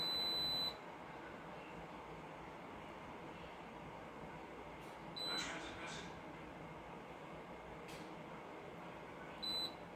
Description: Frigidaire washing machine keeps beeping.